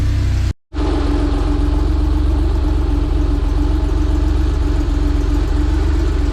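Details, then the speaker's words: 1983 Porsche 911 SC, 3.0 L normally aspirated air-cooled flat six, sat for months, just started on fresh fuel and run until hot: brief cutout, then a steady, even idle with a smooth low rumble before the oil drain; normal warm idle. "They're low on gas, but fired right up."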